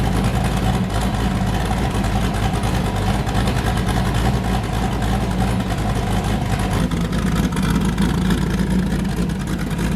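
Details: Boosted V8 with a new cam, just started after a repair; it had earlier made 23 psi and blown a coupler, and the owner feared engine damage. A deep, loud, lumpy idle with an even hard chop on every cylinder and no miss: a normal choppy cam idle.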